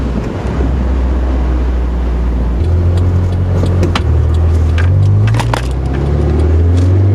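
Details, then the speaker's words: Stock Nissan 240SX (KA engine) that popped between shifts when cold above 3,000–4,000 rpm, test-driven after a coolant temperature sensor replacement: it pulls cleanly through rising revs and gear changes with no pops, though one pop is later heard. "okay no smoke [Music] no pops hey we fixed it"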